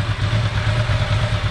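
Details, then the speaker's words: Ducati ST4S (same setup as ST4, MS4, 748, 916, 996) during throttle body setup: fast idle pushed off, warm desmo twin idling steady and lumpy at about 1100 rpm with light mechanical clatter. "push the fast idle off like that's the torso that's idling at about 1100 revs"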